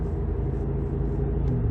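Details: 2008 Audi S8 (D3) on new Conti tires driving at speed: low, even road rumble, rear silent with no growl; front right wheel bearing later suspected as the source of front road noise.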